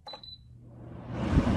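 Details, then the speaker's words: Appliance powered on from the top button after being at its highest setting: two quick high beeps at switch-on, then the fan spins up into a rising, steady rush of air. This is the normal power-on double beep. "So, when I turn it on, it beeps twice."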